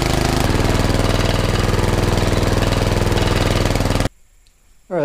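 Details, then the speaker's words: Predator 420cc 13hp single-cylinder engine fitted in a golf cart, after carb cleaning, exhaust upgrade and new flange bolts: fast even thump of about four beats a second, then shuts off; running pretty good, normal running. "that's running pretty good I'm just gonna top it off with some more gas just gonna put the cover"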